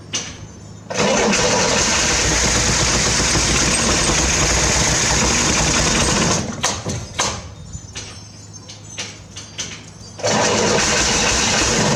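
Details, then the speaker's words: 1968 Corvair being revived after sitting: steady cranking, then a short uneven burst of firing that breaks into ragged coughs and stops. It has spark but won't stay running. "But at least I know that it sparks. It actually starts whenever you want it to. We just can't get it to quite run yet."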